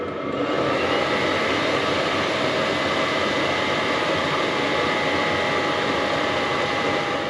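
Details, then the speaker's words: HCalory diesel air heater in a tool box, heating and putting out some heat: smooth, even blower rush with a faint steady hum, no rattles. Normal running. "H okay we have a little bit of heat coming out it still says it is Heating"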